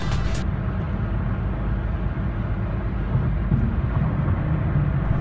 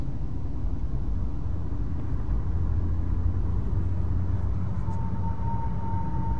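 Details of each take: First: Cadillac CTS panoramic sunroof on a test drive after the repair: only a steady low road rumble, with no whistling or wind noise from the roof; fixed. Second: Cadillac CTS (2008–2013) panoramic sunroof, driving after drip channel spring reinstall: steady road rumble with a thin high whistle overhead persists; worn drip channel.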